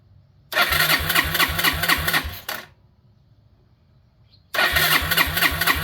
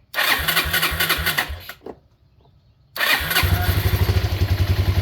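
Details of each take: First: 2001 Yamaha Breeze YFA1 after fitting an aftermarket carburetor: steady starter churn about four pulses a second, two cranking bursts, never fires. Fuel tap suspected in the wrong position, needs turning to reserve; not confirmed. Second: 2001 Yamaha Breeze YFA1 with newly fitted aftermarket carburetor, fuel tap on reserve: cranks, fires, stalls briefly, then restarts into a steady, even single-cylinder putter at idle; runs healthy.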